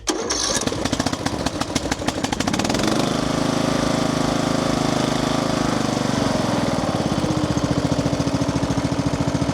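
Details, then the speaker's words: Craftsman LT3000 riding mower with a Briggs & Stratton single-cylinder engine, after carburetor work and a new filter screen, choked: cranks a couple of seconds, catches and settles into a steady, even run with no misfires; normal running. "Yes! Oh yeah, I'm happy. Happy to have that thing running."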